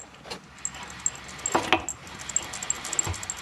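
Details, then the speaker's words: Classic Mini, wheel spun by hand with brakes checked (wheel cylinders not leaking): light irregular ticking and clattering inside the hub on one side only, other side fine; worn wheel bearing to be replaced. "There's like a clattering sound inside there, so I'm gonna get onto Minimine and we'll get ourselves a bearing done."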